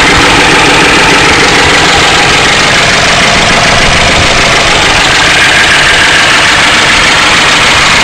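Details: 1992 Ford Crown Victoria 4.6L at steady idle: loud busy clatter with no clean rhythm; owner suspects low oil pressure and plans to replace the oil pump, cause unconfirmed.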